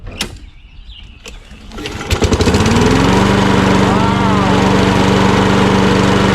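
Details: Mower with a Kohler XT675 auto-choke engine, checked for fuel and oil: a few pulls, then it catches and settles into a steady, even single-cylinder run with no misses or knocks. Healthy start.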